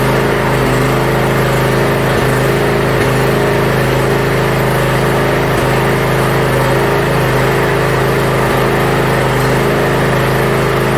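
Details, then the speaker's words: Yard Machines (MTD) budget 42-inch riding mower after new starter install and safety switches reconnected: steady, even single-cylinder drone, no knocks or hunting; functions checked, everything working properly. "well it looks like everything is functioning properly"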